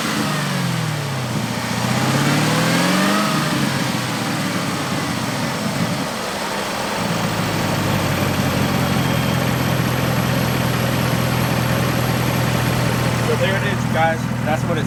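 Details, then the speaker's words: 6th Gen Camaro ZL1 supercharged V8 with a Roto-fab Big Gulp intake and LT5 95mm throttle body, no tune, exhaust valves closed, camera set beside the car: revs blip, a clear whine rises and falls with them, then an even idle; healthy blower. "Definitely sounded healthy as hell. Extremely happy with that."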